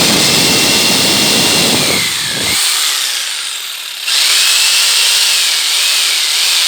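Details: Bosch PST800 PEL 530 W jigsaw running on 240 V: steady high buzzing saw note cutting through wood at full speed, brief dip as the cut finishes; motor runs strong and even, normal cutting.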